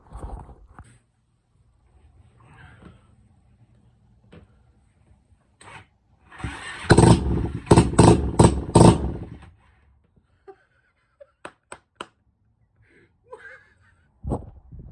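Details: Cheap 250cc engine, originally fuel-injected and converted to CDI with a generic Chinese loom in an old mower, first start after spraying stuff into it. It catches and revs in a few sharp blips for about three seconds, then drops away.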